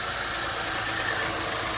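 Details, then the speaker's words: 2006 Lexus GS300 3.0L after engine and harness swap, crank-no-start with all-coil no-fire codes P0351–P0356, fixed by replacing a blown fuse to restore 12 V to the coils: starts and idles on its own, smooth even hum, no misses; normal idle. "okay moment of truth we're going to crank it [Music] and it started"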